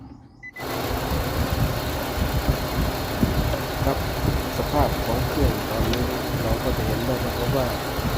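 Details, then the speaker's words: Car with replacement short-block engine and original external parts, already given new spark plugs and coils: after start the engine shakes, idles unevenly with a lumpy, sagging beat and stalls; rough idle. "ตอนนี้เราก็จะเห็นได้ว่าเวลาสตาร์ทเครื่องมาเครื่องมันก็จะสั่นแล้วก็จะเบาดับสตาร์ทใหม่แล้วก็สักพักนึงแล้วก็จะเบาดับเหมือนเดิมนะครับ"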